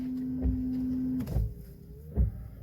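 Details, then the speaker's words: Car windshield wiper that had squealed loudly, after reshaping the rubber blade; soft thumps about every second as it reverses, no squeal or chatter: quiet windshield wiper. "solucionado o problema eu então fica aí a dica de beleza"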